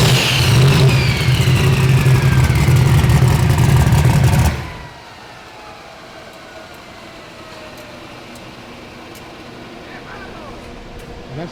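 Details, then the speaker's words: Bad Apple LS V8 drag car on a hub dyno for a baseline pull: engine drones heavily under load, revs climbing slowly and bogged, then cutting off; good-running motor, slow to get up because the torque converter is too tight. "but hey converter i think it's a little bit too tight don't you think it's a little snug little snug converter"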